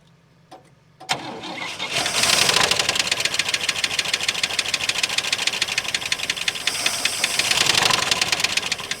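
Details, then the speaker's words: 1959 Oldsmobile 98 coupe V8 at first start after shipping: catches, then a fast, rough run with a sharp ticking knock; owner thinks the motor is just dry. Engine knock. "okay so it does run it does have a little bit of a knock here um i think it's just probably the motor's dry"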